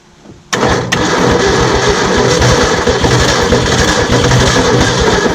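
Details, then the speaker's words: 1967 Ford F100, 76k original miles, parked since 1980, first start on a primed carburetor with temporary fuel pump: loud, rough running with uneven knocking about four per second; rod failure feared. "oh that sounds terrible whatever that is there might be a reason he was going to pull the"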